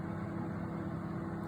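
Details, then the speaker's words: Siemens microwave heating water at 360 W: loud, steady low hum and buzz, intermittently shutting off; it still heats, and the owner wonders if the magnetron or capacitor is at fault. "так так микроволновка с почему-то издаёт такие звуки страшные не постоянно отключается может кто знает что это такое"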